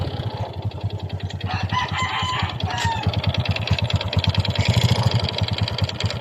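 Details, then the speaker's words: Honda XRM 125 single-cylinder that ran dry of oil and makes white smoke, idling; hollow rapid knock from the cylinder, piston slap from a worn loose bore, louder when revved. "ito ay ang tunog piston slaps pandin natin ulit para marinig niyo ang tunog na nangagaling sa kanyang cylinder"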